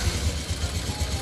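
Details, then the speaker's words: Honda Revo Fit F1 fuel-injected motorcycle, engine damaged after running out of oil, at idle: fast, even knocking thuds with a clattery top end; oil-starvation knock, with piston, conrod, crank bearing, cam chain and valve guides found damaged on teardown. "Mari kita coba hidupkan motornya. Suaranya sangat kemerangsang sekali ini,"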